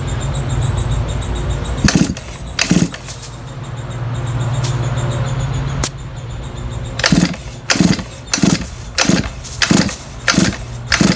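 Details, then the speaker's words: Shindaiwa F22 2-stroke weed trimmer, thumb-over-spark-plug-hole compression test: quick pull-cord cranks, two then six in a fast run, each with air hissing out under the thumb though not pushing it off; adequate compression on cranking. "see all right maybe you could hear that escape i mean it didn't actually push my thumb off but air was uh was escaping out from underneath the thumb"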